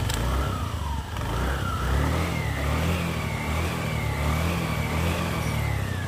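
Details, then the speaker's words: Honda Scoopy FI scooter after CVT cleaning and parts replacement: smooth engine note rising and falling with throttle, even drone with no rattle or clatter, pull responsive; normal CVT operation. "suaranya sudah halus pada sahabat semua bisa mendengarkan sendiri tarikan motor juga sudah kelihatan responsif sewaktu kita menarik gas tadi"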